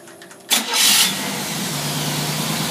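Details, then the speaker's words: Engine with a rebuilt Predator carburetor under test: fires instantly with a sharp rev burst, then settles to a steady, even idle of about 600–700 rpm with no misses or stumbling. "as you notice my hands were not even touching the thing thing runs perfect started again for you"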